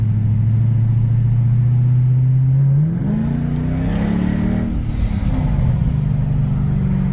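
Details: 2008 Mercedes CL63 AMG V8 after fuel injector replacement, driving; smooth deep drone dropping at an upshift then rising evenly on barely any throttle, no misfire or stumble; drives well.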